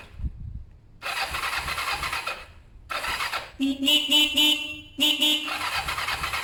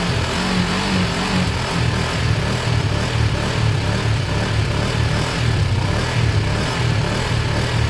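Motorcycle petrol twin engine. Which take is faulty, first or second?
first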